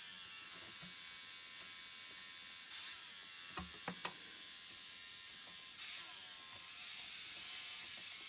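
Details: Sony MDS-JE470 MiniDisc deck, bought broken and stuck on standby, a Sharp MD-R80 disc stuck inside, powered up during repair: quiet whirring with a few sharp ratchety clicks, like a gear slipping teeth in the disc-loading mechanism.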